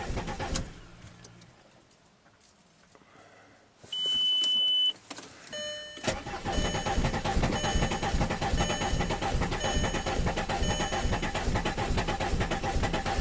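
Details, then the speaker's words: 2005 VW Passat TDI diesel, crank no-start after cylinder head and camshaft swap: chime, then slow steady cranking without catching while fuel pressure reaches 15 psi; air being purged from the fuel system. "I'm just gonna keep purging air out until it's happy. And try again."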